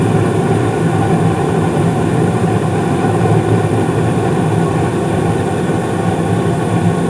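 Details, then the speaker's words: 2016 Carrier furnace, five years old, with blower raised from medium-low to medium-high for heat, at startup: steady, even low rumble and airflow hum with no knocks, rattles or squeals; normal furnace operation. "sounds like everything's running great and if you remember on this furnace and also the one in the basement and uh i believe last year i raised the blower speed from medium low to medium high for heat load"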